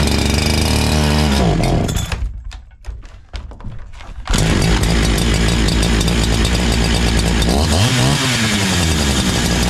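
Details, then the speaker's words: New NEO-TEC NH872 71cc chainsaw, a Husqvarna 372XP clone, at first start: a fast, busy idle after blips, set too high. The idle screw is turned counterclockwise to lower it. "it actually sounds like it's idoling a little bit high oh the change moving I don't think you want that maybe barely creeping along probably could adjust it a little bit"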